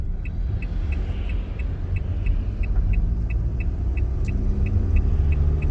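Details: Opel Movano 2.3 biturbo diesel, injectors recently repaired with new nozzles: sharp regular tick about three times a second over diesel rumble while accelerating from 20 km/h under load; stethoscope and oscilloscope point to one injector, cylinder 1 suspected.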